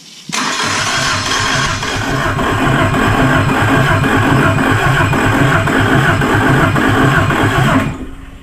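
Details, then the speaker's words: Nissan S13 SR20DE engine on the floor, fuel pump primed and running, push-button starter: cranks with steady even pulses about four a second for seven seconds but never fires, no spark. "that's not so good maybe we don't have Spock get back to the touring"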